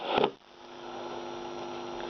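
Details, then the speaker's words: 1960 Philips B3X00U radio after resoldering broken connections, still needing recapping: steady low hum under quiet radio output, unchanged; mains hum still present, cause not confirmed. "but there is still a bit of a hum in the sound as you can also hear in this short video"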